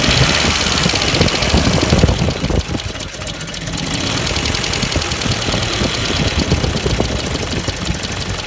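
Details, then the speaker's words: 1994 Ford Econovan after new ignition points and timing set, cracked no. 1 plug lead: raised, slightly uneven idle that won't drop back down; throttle sticking and not returning. "it also sounds like my throttle's sticking. Yep. That was getting a little sticky, it wasn't going back."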